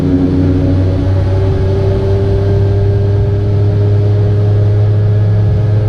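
A steady buzzing drone with a thin whining tone riding over it at constant revs; something sounds off, but the cause isn't clear.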